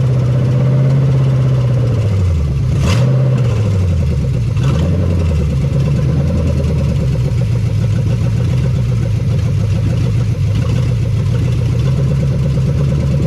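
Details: 1975 Chevy Nova stock small-block V8, sat 35 years, no fan or belt, seized water pump, brief run: loud open-header blips settling to a fast, steady idle, no knocks or ticks; high idle from vacuum leaks, possibly seized throttle cable.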